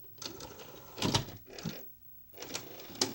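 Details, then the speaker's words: 1988 RCA VR-275 two-head VCR with linear stereo, after a heat-damaged capacitor with cold solder joints was replaced by two in series: the loading motor sounds rough and strained, with uneven whirring and clattering bursts, stopping and starting as the tape loads. "listen to that loading motor doesn't sound too healthy"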